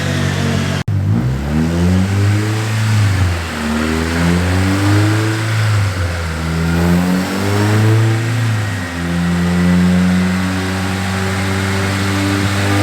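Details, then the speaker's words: Car on dyno under load: pitch climbs on a hard pull, then wavers with a slight uneven flutter mid-pull; owner suspects VTEC behaving as on idle or a fueling problem; stumble under load. "it's doing it again [Music] it's doing it again hear that little flutter something's wrong hear it kind of stumble it's like almost like staying in v-tech again still like on idle right either that or a fueling"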